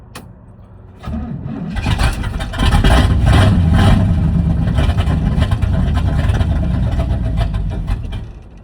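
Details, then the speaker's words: 1979 Chevrolet C30, fed from a rigged gas can to the fuel pump: starter grinds, V8 catches and sputters raggedly then fades; has spark but not getting fuel, owner suspects bad fuel pump, possibly weak starter. "Well, I know it's got spark and fire. It's just not getting fuel."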